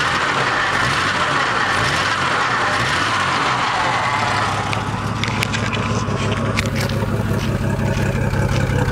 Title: Jeep '87 XJ sputtering possible misfire